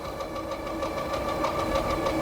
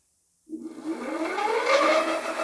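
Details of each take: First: Hidoes B10 e-bike at full power with pedal assist, about 28 top speed: fast steady ticking and a light repeating knock over wind and motor whir; not yet checked over, owner suspects an assembly issue with something catching. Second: Hidoes B10 retro e-bike hub motor spinning the lifted rear wheel with no load in the highest assist level, showing 31 mph; the motor whine climbs smoothly in pitch, then holds a clean steady tone with no grinding, so the speed is not locked.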